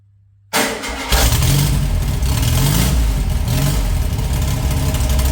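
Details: VW flat-four for a 1958 Beetle, rebuilt from parts and of unknown last run, runs on fuel poured into the carb bowls. It fires, then runs lumpy and stumbling while oil in the cylinders burns off with heavy smoke.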